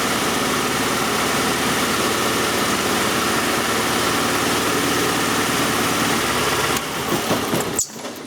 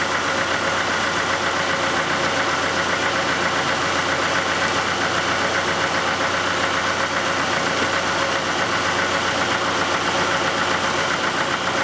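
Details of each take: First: Oldsmobile 2.3L Quad 4 running with a coarse, shaky misfiring idle that sags and nearly stalls when an injector is unplugged; cylinders probably two and three carry it, misfire traced to cylinders one and four; shorted injector. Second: 1991 Oldsmobile Cutlass Calais 2.3L Quad 4 DOHC after repairing a shorted injector misfire, warmed up: even, steady idle with usual light rhythmic Quad 4 ticking, no skipped beats; running normally without misfire.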